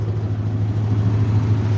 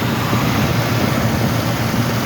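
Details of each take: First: 1969 Ford Mustang Mach 1 V8, first start in months: deep, steady low rumble with an even beat and no knocks or ticks; smooth normal idle. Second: 1969 Ford Mustang Mach 1 V8 started for the first time in months: deep rumble through several blips with a slight uneven lope at the low end, a small bump needing carburetor tuning.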